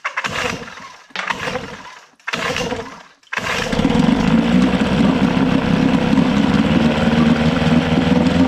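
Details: Johnson 6hp two-stroke outboard after fuel pump and all fuel lines were replaced, carb float corrected and starter refitted: three pull-start bursts, then it catches and settles into a steady, even buzz. Normal running.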